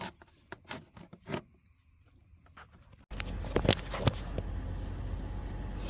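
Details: 2015 Toyota 4Runner, 4.0L 1GR-FE V6, started after oil pressure switch replacement to check for leaks and the oil light. A few quiet clicks, then it fires and settles into a smooth, even idle. Normal idle.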